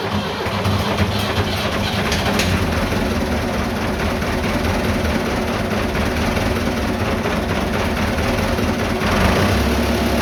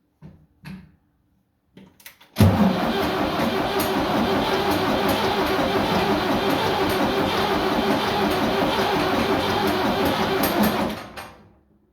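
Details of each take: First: Vintage diesel tractor (the "77") that wouldn't start after sitting two days; tank found empty, diesel added and lift pump primed. Now running with a deep, even rumble at steady speed, no misses or knocks. Healthy. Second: 77 diesel tractor that sat two days cranks steadily about three compressions a second for eight seconds with a fully charged battery and jump pack, never catching. The tank was found with no diesel: crank no start, out of fuel.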